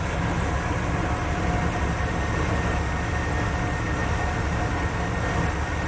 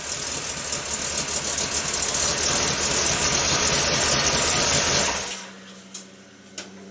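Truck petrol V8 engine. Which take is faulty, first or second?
second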